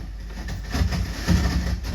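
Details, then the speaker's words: Heathkit AJ41 tuner warming up on reduced AC, about 70 V, for capacitor reforming while connected to a power amplifier: a heavy steady hum that grows with voltage, with crackly static over it. The owner is unsure whether it is arcing components or amplified static. "I'm starting to hear Statics hope you you hear too it's a very loud hum"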